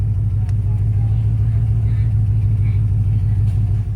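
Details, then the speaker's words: Project vehicle with suspected dead cylinder, started after battery change and ether: deep, uneven, lumpy idle with no steady rhythm, possibly missing on one cylinder; rough running, replacement engine being sought. "we got her to fire off like you guys saw but she's not happy"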